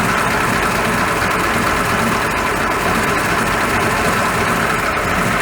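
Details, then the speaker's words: 1941 Ford pickup after noisy water pump repaired, idling after a 10-mile test drive; steady, even idle with no ticking, squeal or rattle, nice and quiet; normal idle. "Hello, I've put it back together and I've been for a test drive, and it's nice and quiet."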